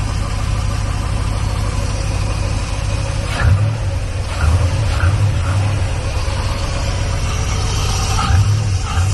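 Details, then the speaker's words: Chevy C1500 with an HT383e V8 after fitting an IAG V3 air/oil separator: quiet, even idle with a soft steady rumble and faint occasional clicks. Much quieter than the previous setup; runs healthy. "But as you can hear it, it's very quiet. Very quiet. It did not sound like that with the other setup."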